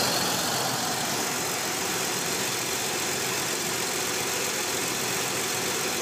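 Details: Nissan 300ZX twin turbo at smooth idle with a steady airy hiss that never lets up, from a vacuum leak.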